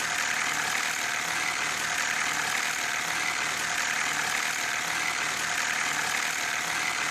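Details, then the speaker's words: Petrol car engine running: steady, dense metallic rattle with little deep rumble underneath; possibly a loose timing chain due to worn or displaced spring-loaded tensioners, with the chain rubbing the engine walls. "esto podría ser debido a la cadena de distribución esta contiene tensores accionados por un resorte en ocasiones se desgastan por la fricción"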